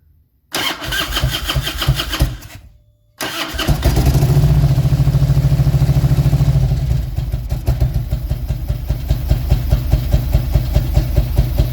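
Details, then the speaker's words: 2000 Harley-Davidson Road King V-twin, throttle body exposed during misfire diagnosis: cranks, catches, runs rough and coughs with a big backfire through the throttle body; owner suspected ignition timing/ICM. "Yeah, so we just had a big backfire here through the throttle body. Kind of coughed on us a little bit."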